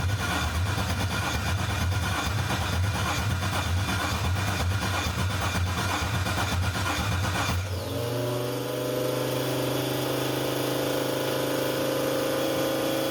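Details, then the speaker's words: Newly built 6.2L L86 Gen V LT V8 with Holley Terminator X EFI, first start attempt: steady starter churn about eight seconds that never catches; data logs show no crank signal or RPM, crank sensor to be replaced. "okay after looking at data logs on that first crank um it does not appear to be picking up any crank signal no RPM is being reported"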